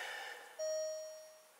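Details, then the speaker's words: Alfa Romeo Stelvio Quadrifoglio after its depleted battery (dead after four days parked) was disconnected and reconnected: a single clear chime rings and decays in a quiet cabin as the warnings cycle with ignition on, before starting. "yeah that's the one esc these are all the warnings that will come up okay"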